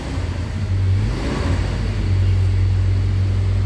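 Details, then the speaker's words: 2011 Toyota Hilux after repairing the faulty ECM that caused crank no start: deep steady diesel rumble with a firm low hum rising briefly then settling; normal idle. "जो फाल था वो computer में था इसी ए में तो अल्हम्दुलिल्लाह हमारी गाड़ी अब स्टार्ट है"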